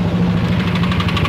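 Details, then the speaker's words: Yamaha NMAX scooter, complaint of knocking at idle: rapid, sharp metallic tick, roughly ten a second, over a rough idle; piston slap from worn piston and bore, piston and bore need replacing. "Ya, benar emang ada bunyi etak, bunyi yang tidak wajar di mesin ya."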